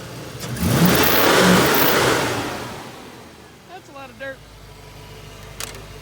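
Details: 1990 Ford Mustang crank-no-start fixed after setting base timing: engine catches, revs up hard and settles back without stumbling or misfiring; running properly.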